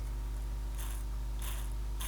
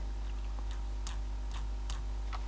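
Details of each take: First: Possibly 1970s-era Copal RD-100 flip clock radio, 240 V motor gearbox before lubrication, possibly missing an end washer: steady low hum with dry rasping burst about every half second; sounds unhappy, cause not confirmed. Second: Copal RD-100 flip clock, motor after oiling: soft steady mains hum with scattered light ticks from the gears; motor itself now runs quietly and smoothly.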